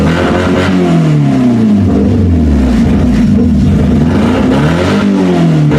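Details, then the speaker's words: Mazda 3 derby car on its first start after installing a new gas tank and battery: a lumpy, shaking drone that surges unevenly with a missing beat; the engine is running on three cylinders. "runs now this is only running on three cylinders people"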